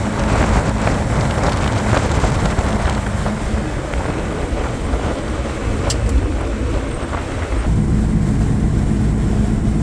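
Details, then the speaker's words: 1962 Ford Falcon 200ci six with a T5 swap and Holley Sniper, cruising with the windows down at about 60 mph (2100 rpm at 65; speedometer reads 5 mph fast, smaller tires); low, even, quiet exhaust drone under wind and road noise, healthy. "Um, at 65 we're doing like 2100 RPM, which is pretty solid. Cruises. It's quiet."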